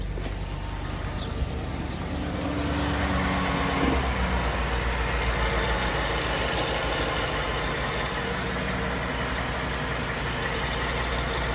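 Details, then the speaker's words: 2014 Ford F-150 5.0L Coyote V8 starting after an oil change: a steady idle with a soft rhythmic puffing tick, about four per second. Exhaust leak from a rusted pipe by the catalytic converter. "And here is where my exhaust leak is at, right there. You can kind of see the water coming out here. It's all kind of rusted out in this pipe by the catalytic converter. So that's why it's got that noise."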